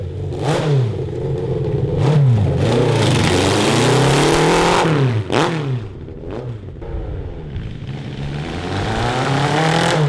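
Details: 1982 Honda CB750 carbureted four in a cross kart, fine below 4000 rpm: while driving, revs climb, then the exhaust stumbles and sags unevenly at speed, breaking up under load. The owners suspect a lean carburetor mixture.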